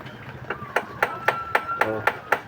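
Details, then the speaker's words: Suzuki DA64W/DA17 AC compressor magnetic clutch plates tapped for comparison: eight crisp, even taps give the solid ring of a good surplus plate with tight rivets; worn plate with loose rivets sounds cracked and causes compressor noise. "Solid na solid na tunog. Ayan oh. Solid na tunog."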